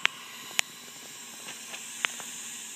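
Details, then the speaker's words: Acura Integra B18B1 engine, cylinder leak-down test on number one cylinder, 79 psi on second gauge: soft continuous hiss with clicks as air escapes past a leaking exhaust valve. "and then we have 79 psi on the other gage and unfortunately we have a leaking exhaust valve our number one cylinder"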